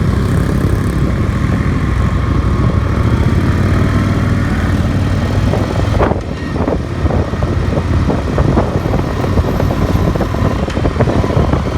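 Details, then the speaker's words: Yamaha XV 750 V-twin, repaired after one cylinder was misfiring, accelerating with two riders, about 200 kg aboard: strong, even drone pulling steadily with no misses or odd noises; normal acceleration. "Hasta se escucha el motor muy bien, no se escuchan ruidos raros ni nada por el estilo."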